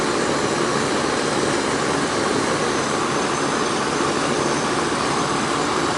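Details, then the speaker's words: Central air conditioning unit after repair of a leaking Schrader valve core at the evaporator and recharge with about 5 lbs of refrigerant: steady condenser fan rush over smooth compressor hum, no rattles or cycling; normal running, back up and running. "it's back up and running y'all back up and running all right that one's up and running"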